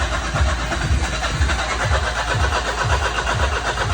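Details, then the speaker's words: 2009 Smart Fortwo 451 cabriolet with a hard cold start: the engine catches slowly with lumpy, laboured chugging at about two beats a second. Fuel rail pressure sits around 30–35 then 40 psi instead of 50 psi, so the weak fuel pump is to be replaced. "all right I got the car to fire up but it's sitting at uh 40 PSIs and it struggled it was like 30 35 and then it farted and fought and fought and fought"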